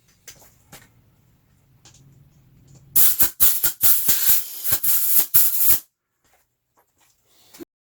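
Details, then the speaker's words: Lectric XP e-bike rear inner tube after its first flat, reinflated to find the leak: a sharp, steady, loud hiss of escaping air for about three seconds at the clean puncture hole, before patching. "and right there, if you can hear it, but the air is coming out, it's right there. So I know where the hole is."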